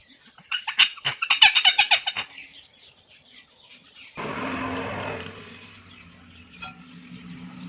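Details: Motorcycle rear brake: sharp chirping squeals about four times a second, then a low steady running sound; rear brake noise, cause suspected, not confirmed.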